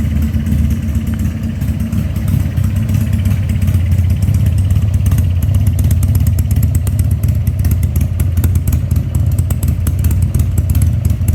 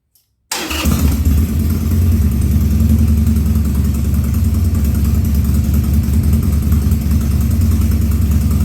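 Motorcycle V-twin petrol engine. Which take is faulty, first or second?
second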